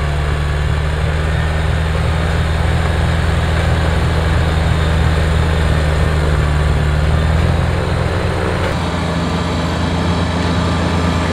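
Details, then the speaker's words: Kubota BX diesel tractor after fixing cold-weather fuel starvation (suspected gelled fuel): low, steady diesel rumble with an even beat under light load, no stumbling or surging; runs smoothly. "yay jack so everything's working fine now"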